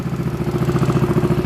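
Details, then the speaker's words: Yamaha Zuma 158cc big bore kit scooter at first test start after rebuild (piston rings, timing chain, valve lash), left to idle before break-in; quick steady even putt-putt, about twelve pulses a second, clean; running fine, success. "so i'm just gonna let it idle all right so there you go it sounds like it's working success yay"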